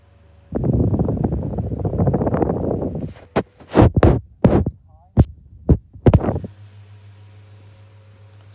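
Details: 2016 Argos 7-inch desk fan with worn motor bearings, now worse than before: a rough, throbbing rumble that settles to a low droning hum.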